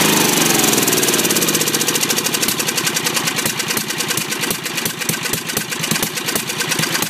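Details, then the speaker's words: Briggs 10hp, governor reconnected and working: firing climbs from a steady chug into a fast rising race when choke is off, won't hold idle; carburetor suspected worn or way out of adjustment. "so anytime I have the choke off it starts the race and it'll kind of it'll kind of start controlling it back this way but really it's not going to control it until it gets back into here somewhere"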